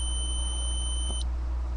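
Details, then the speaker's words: Datsun 280Z ignition switch, removed and tested on the S and B (starter/battery) terminals with a continuity beeper; a tiny blip before the beep cuts off near Run marks a momentary contact dropout. Owner was chasing intermittent no-crank and ECU resets. "now that's back to what should be the Run position makes contact a little bit of a loss there"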